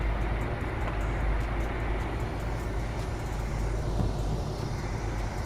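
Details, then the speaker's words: 1975 Chevy C10 SWB, 350 small-block V8, long-sitting, on temporary funnel fuel feed running low on gas: low steady rumble with even burble outdoors, no knocks or misses, idling smoothly. "That motherfucker running so good, bro. I guarantee y'all, that bit running good too."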